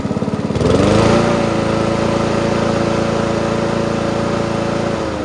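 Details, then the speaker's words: Free Honda walk-behind mower fitted with slightly smaller replacement wheels, oil change and plug clean still due: fires after a brief pull, settles into steady even single-cylinder drone, no misses or knocks; runs alright. "This thing runs alright, not bad for a freebie."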